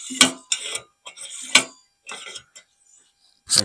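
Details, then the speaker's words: Brass paraffin blow torch hand pump held near the microphone: short, crisp, firm hissy air strokes about once a second. It rises easily with resistance on the way down, unlike the other torches' pumps that just drop. Normal pump stroke. "you can hear that it makes a nice you can hear the feel the resistance comes up easily goes down that pump works"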